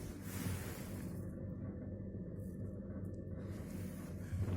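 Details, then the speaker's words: New, nearly empty Beko refrigerator, level, with a hot condenser grille: deep, steady loud hum and rattling from somewhere low down, slightly quieter when the grille is pressed but still rattling; loud running, cause not identified. "так он где-то там внизу дребезжит и решетка нажмешь пальцем вроде потише но по факту оно все рано дребезжит и дребезжит"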